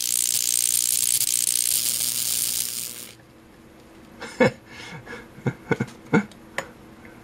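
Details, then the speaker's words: Multimeter fed from a neon sign transformer at roughly 1,000–2,800 volts: harsh steady hissing, sizzling crackle for about three seconds, then scattered clicks, as high voltage arcs across the meter's switch contacts. "so again here's about 1,000 volt there's 2,000 there's 2500 oh right there right across the switch contact this is like it about 2800 volt"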